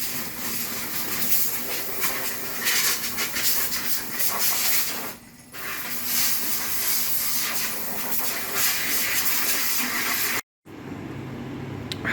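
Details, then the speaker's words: Lab pump being repaired: loud constant rushing hiss with uneven flutter and a brief dip; unfamiliar noise and bad smell, cause unknown. "Okay, so it's running. But it's making a noise I hate. I don't know what that noise is. It smells really bad."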